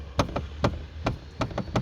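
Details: Chevrolet Lacetti rear knocking over small bumps, not suspension: sharp hollow plastic knocks in uneven pairs from a loose rear trim panel with missing or worn clips; fixed with Lada Granta clips.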